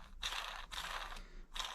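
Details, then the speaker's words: Small RC brushless motor bearing, dry and worn, flicked by hand up close before cleaning: gritty, rasping grind in bursts; bearing judged no good, and Liberty oil afterwards made it spin faster and easier. "uh listen to this bearing this bearing sounds terrible listen to it one more time up close and personal"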